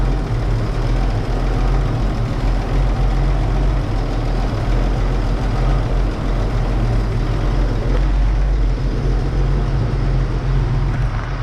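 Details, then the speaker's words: 1931 Oldsmobile F31 barn find, first start after removing a cork piece, likely from the homemade fuel-bowl gasket, that blocked the fuel-pump valve; steady, deep, even idle without stumbling or surging, fuel delivery now sound. Normal idle. "well guys I think that's a success here um this thing was a little bit of a challenge but uh we got it figured out"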